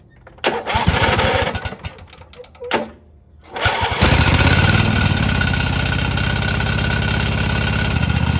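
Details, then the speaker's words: Riding mower after fresh spark plugs, new fuel filter and 10W-30 oil change: a few cranks, then an uneven, lumpy hunting idle; runs well when throttled up under load, cause of rough idle unclear. "won't run perfect, just kind of idling around, but when you throttle it up and put it under some load, it runs pretty good."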